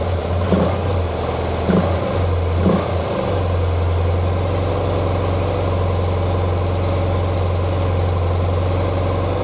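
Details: 1976 BMW R100S airhead boxer twin, dealer-rebuilt 20 years ago and stored unrun, carbs untouched and untuned, very cold, first run: catches after a few cranks and settles into a steady, even, low idle thrum; runs cleanly, sounds healthy.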